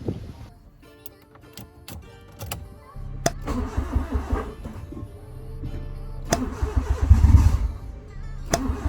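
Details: Honda Civic EK hatch, first start after engine rebuild and three months sitting, fifth attempt: starter churns about three turns a second for several seconds before it stumbles and catches; hard start, ignition timing/advance suspected.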